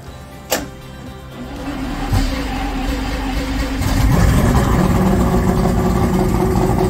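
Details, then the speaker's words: Free boat's engine, after plugs were reinstalled: sharp catch, then picks up and settles into a steady even run; normal start and running. "Okay, I just threw the plugs back in. I'll show you a fresh start."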